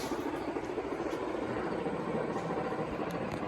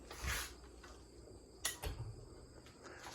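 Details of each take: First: Carroway EF300 industrial ceiling fan on high: steady, even, loud rush of blade wind noise, no knocks or rubbing; bearings fine but starting to make a little noise. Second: Carroway EF300 industrial ceiling fan accelerating slowly from zero to high: quiet spin-up with a few loose clunks and rattles from the downrod shaking on its mounting pin.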